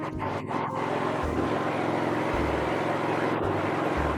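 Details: New ELBA soundproof gasoline inverter generator idling with no load connected: a low, steady hum with an even beat and no misses or knocks, running fine.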